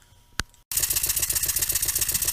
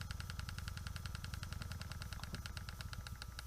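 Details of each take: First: Small Stuart model steam engine run on air on a plywood bench: quick even chuffing about twelve beats a second with a knock each stroke, from poor balance, amplified by the bench; still slightly stiff, new. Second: Small Stuart model steam engine running on 2 psi with valves nearly closed: light even chuffs about three or four a second, turning over smoothly and slowly.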